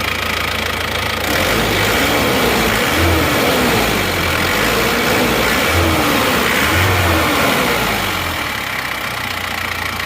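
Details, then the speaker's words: Isuzu Panther diesel at first start after reassembly, fitted with Elf injector nozzles rather than originals: steady idle clatter, about four beats a second, with faint roughness; rougher than other rebuilt engines but smoother than before. "kalau menurut saya masih lebih kasar pada mobil yang baru turun lainnya ini sehernya ganti printer tapi ini menurut saya agak sedikit lebih kasar tapi sudah lebih halus daripada sebelumnya"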